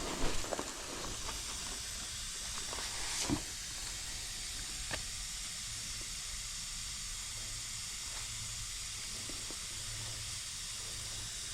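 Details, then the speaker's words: Trane/American Standard AC condenser coil under nitrogen pressure test, oil residue seen: steady high continuous hiss of gas escaping from the leak, felt blowing on the hand. "I feel it right here. I can feel it blowing. I can feel the breeze of it blowing on my hand right here."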